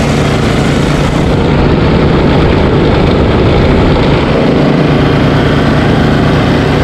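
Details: Ariens ST1128 snowblower, 11HP Tecumseh Snow King engine, after carburetor cleaning and pilot jet fix for surging, cold day. Despite an apparently ~5HP carburetor, a steady, even engine note holds constant speed with no hunting or surging: normal running.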